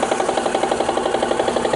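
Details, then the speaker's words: 2003 Mitsubishi Eclipse GS, 147,000 miles on the car, replacement engine around 102,000, check engine light for crankshaft position sensor: quick even tick over steady idle, seemingly from passenger side of engine bay; source unknown, timing belt and water pump service history unknown. "it really feels like it's on this passenger side of the engine from the engine bay i don't know what it is"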